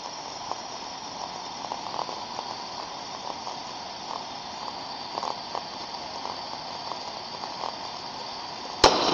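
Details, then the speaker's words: Ultrasound recording of the first of three similar on/off steam traps: steady hiss of flow with soft periodic pops as the trap discharges and reseats, quiet between cycles; normal, healthy cycling steam trap operation. "I'm going to play all three and basically when you see the Spectrum you know already that the first one is a good one"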